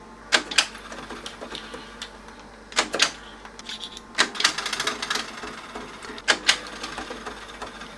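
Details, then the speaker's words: 1990s Revox C274 reel-to-reel, tape leader covering tape sensor: sharp mechanical clunks in bursts as fast forward and rewind fail and it keeps returning to play; suspected control logic interference. "We'll try fast forward. Rewind. Weird. It keeps going the same way about play."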